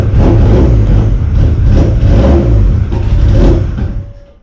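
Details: 1995 Plymouth Neon ACR with a big cam, no oxygen sensor hooked up and a suspect valve cover gasket: uneven idle surging about four times a second, then dies away and stalls; rough idle, cause unconfirmed.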